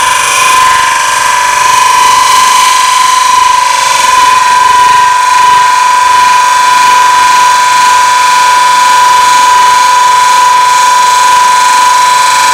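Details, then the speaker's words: Open-segment oak vessel on lathe at about 1000 rpm, narrow negative-rake scraper, light cut: steady even hiss with clean constant high tone, no chatter; smoother cut than the previous tool. "here's a negative scraper doing the same cut i like the sound here better"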